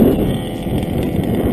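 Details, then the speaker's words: Modded TLR 5B RC car with an OBR 34SS reed two-stroke engine on 101 octane fuel and 32:1 mix, after a run: a fast, steady buzzing idle that is too high because it runs lean; the low-speed needle is to be richened. "i noticed the idle went up it's because it's running leaner"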